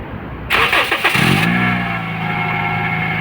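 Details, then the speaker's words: Toyota Vios after replacing the A/C-alternator belt: crank then idle with steady whirring from engine front, noise not cured; water pump pulley and alternator checked, mechanic now suspects alternator bearing; noise from front of engine at idle. "ไม่หายนะครับผมไม่หายครับผมดังนะครับผมก็เดี๋ยวไลหากันต่อไปครับผมเ่าก็คิดว่าจะเป็นไดชาร์จด้วยล่ะคราวนี้คิดว่าเป็นลูกปื่นไดชาร์จ"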